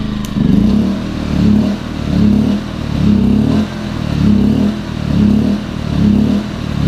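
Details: Champion 2000W 73536i generator with about 16–24 hours of use surging at idle, engine note swelling and sagging about once a second; also surged at higher rpm. Owner suspects plugged idle jet; fixed by removing and cleaning the carburetor and adding a fuel filter.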